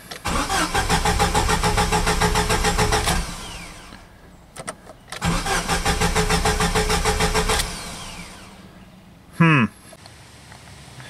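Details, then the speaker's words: Jeep 2.5 with about 200,000 miles, no fuel cap for 2–3 months, filled with premium gas: the starter cranks in even, quick pulses but it never fires. No fuel or possibly spark is suspected; not confirmed. "the Jeep doesn't sound like it's getting any fuel or maybe spark so we're gonna go to the easiest thing first"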